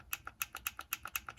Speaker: Many times you can even hear a difference in the clicks too. The good units have a very clicky, responsive sound like this,